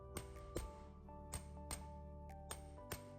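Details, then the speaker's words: Pinion bearing pressed onto the pinion shaft with a press: several sharp metallic rings over a low hum, the final clear ring showing the bearing has bottomed out fully against the ledge. "Ooh, did you hear that? A little ringing? A little ringing noise is good. That means it's bottomed out."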